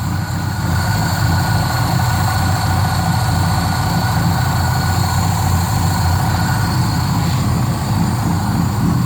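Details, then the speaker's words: 1984 K30 (owner believes) converted to fuel-injected 454 big block with SM465 four-speed, just started cold, oxygen sensor warming, slip-clamped exhaust with small leak: fast steady idle with faint vacuum-leak-like hiss; idle air control raising warm-up idle. "Sounds like a vacuum leak, but it's idle air control cranking."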